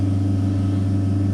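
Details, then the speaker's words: Fox-body car with MSD ignition, key on before cranking: steady, even low hum of fuel pump with no surging or dropouts; pump powered, normal, though voltage later dropped to 7 V during cranking. "Fuel pump's on, you can hear it. Definitely has power."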